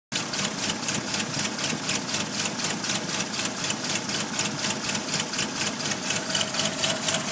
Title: Strange engine noise